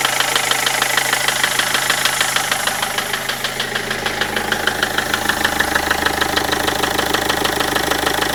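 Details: Land Rover Freelander TD4 diesel at idle with a sharp, very regular knock about three a second above the diesel rattle; cause not identified.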